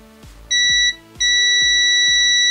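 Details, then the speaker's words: Black Point portable speaker that turns on and shuts off: continuity beeper held across amplifier IC pins 6 and 7 (6 apparently the supply input) gives a brief high beep, then a steady unbroken tone, suggesting the amplifier chip is shorted. "y al parecer están en corto bien al parecer están en corto"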